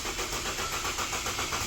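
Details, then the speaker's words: 2006 Ford Falcon cranking: the starter turns the engine at about four even compression beats a second, which sounds healthy, but it never fires. Crank, no start; cause not yet found. "it's cranking but not starting let's do a uh compression test real quick sounds healthy anyway"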